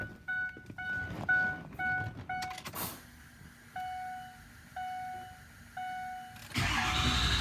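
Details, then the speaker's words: Ford Excursion 6.0 diesel cranking with a newly fitted 6.7 starter (DB Electrical SFD0106) on an adapted bushing and bolt. It spins quickly and strongly, fires and settles into a steady idle, much better than this morning; a healthy starter. "So as you can tell, it spun that thing like a top. So I'm really happy with the way that turned out."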